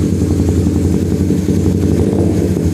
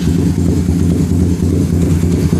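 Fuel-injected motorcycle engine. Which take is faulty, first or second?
second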